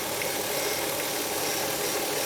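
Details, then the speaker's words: 2004 Hyundai Sonata idling, heard under the hood while the steering wheel is turned lock to lock: a faint high whine that swells and sometimes gets louder from a failing power steering pump, whose area is wet with leaking oil. "i don't know if you can hear that noise but this power steering pump is really noisy and this noise gets louder sometimes"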